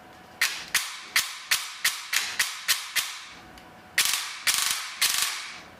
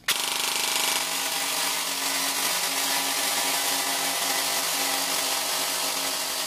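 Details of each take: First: APS V2 airsoft gearbox with new piston and brushless motor cycling: sharp evenly spaced piston slaps about three per second, then quicker bursts, with no gear or motor noise; healthy. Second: APS V2 airsoft gearbox stress test with M120 spring, new piston and T238 brushless motor: harsh buzzing whir with ragged grinding and sagging pace, then stops; stripped bevel gear teeth slipping.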